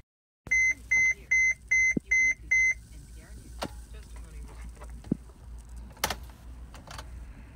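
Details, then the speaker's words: 2017 Mercedes Sprinter 2500 4x4, 170-inch wheelbase, about 9,990 miles: six quick, evenly spaced high warning beeps, then silence with no cranking or catching; an intermittent no-start that the dealer could not reproduce or diagnose. "just won't start what am I supposed to do what am I supposed to do"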